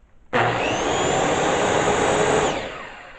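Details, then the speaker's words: DeWalt 369 circular saw after replacing worn original brushes (about four years of daily use): jumps to a steady high whine with no speed surging, then brakes and winds down; sparking now normal, motor and brushes running normally. "Now there's just a little sparks. I think a normal amount of the sparks. Before it just sounded bad. It didn't, you hear how when it runs it's like a steady speed."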